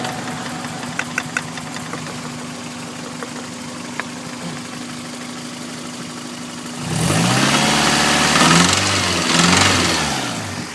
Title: 1992 Celica 5SFE rattling noise